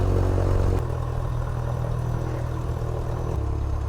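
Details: Light airplane piston engine just after a flooded start: a deep, even drone at a settled idle of about 1,000 RPM with 60 PSI oil pressure, no misses or knocks.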